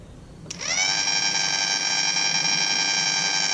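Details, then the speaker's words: The failed low-pressure lift fuel pump from a 2014 Mercury 115 HP four-stroke outboard, bench-powered directly: a click, then a high electric whine that holds steady. It runs bone-dry with no fuel from the nozzle, a no-start cause. "you hear that it's bone-dry that's there wasn't any fuel coming out of that nozzle"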